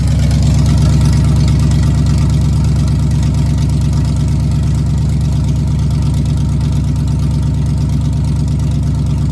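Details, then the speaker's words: 1998 GMC truck V8 idling on newly installed open headers with fresh header wrap burning in: loud, raw idle with sharp, even exhaust pulses, no misses or ticking; healthy. "Sounds like a race car. I'm going to go ahead and let this idle a little bit."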